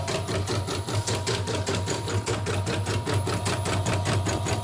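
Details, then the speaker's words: Repaired embroidery machine fitted with new-model dynamo motor: quick steady stitching clatter, no jerks or hesitations; machine now runs smoothly. "nah ini mesin sudah lancar sudah halus nah ini dinamonya dinamo yang baru model yang"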